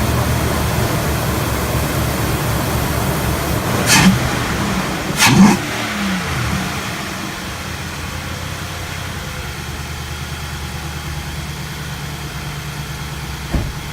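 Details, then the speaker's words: 2017 Nissan Titan Pro-4X 5.6L gas V8 just after K&N 63 Series intake install, cold: catches promptly, blips up a couple of times, settles into smooth even idle; healthy start, no engine warning lights. "all right so it started right up no engine warning lights"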